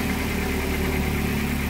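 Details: K21 engine running on LPG, idling while an oscilloscope probes the LPG injector driver during E-35 code testing: steady, even hum with a constant low rumble and no stumbles or knocks; normal idle.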